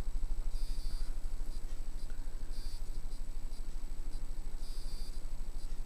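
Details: Banvil 52" ceiling fan, FLT 552 series (owner suspects made by Heritage), on high speed around 210 rpm: low, even motor drone pulsing about 2.5 times a second; the motor hums a lot, noisier at startup and quieter at full speed.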